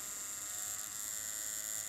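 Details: Primus direct-drive rotary tattoo machine at about 4–6 volts, no other adjustment: thin steady high buzz at even speed, no catches or rattles; runs smoothly and lines well, healthy.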